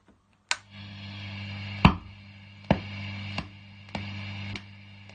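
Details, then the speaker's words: Amp switching master volume 1 to 2, power light sometimes flashing: sharp pop at each switch over steady low mains hum, about one a second; popping when switching, cause unknown. "So the issue I have is then I'm switching master volumes from 1 to 2. Amp is on, but the light starts flashing sometime. I don't know."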